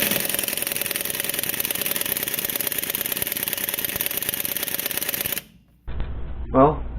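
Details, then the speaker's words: Free Craftsman air impact wrench after repair (broken part and a bad bearing plate replaced): it hammers steadily, then stops with air hiss, but fails to remove lugs on a '73 truck; the owner suspects it needs air-tool oil and the Harbor Freight compressor is weak. "didn't take the lugs off just doesn't bother me too much it works it sounds good when it's running"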